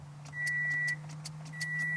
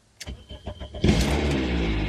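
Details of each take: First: 2007 Toyota Matrix, towed in no crank no start, new battery and alternator, 12 volts available: key turn gives only dash chime and key rattle, no starter click or cranking; failed starter motor, replaced. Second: 2007 Toyota Matrix (Pontiac Vibe), towed in as no crank, no start, just after a new Denso starter was fitted: a few clicks, then a short even crank, catching fast, flaring briefly and settling to a smooth idle.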